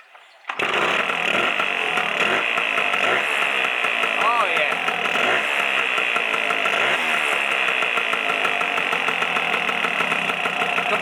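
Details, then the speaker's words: Lambretta two-stroke with a newly fitted RT kit and new carburettor, after switching to a Polini atomizer, before ignition timing is set: a crisp, steady buzz with quick throttle blips that pick up cleanly; running much better. "Completely different. Right, we can set up our timing now. Now we've got get an engine that's running a bit better."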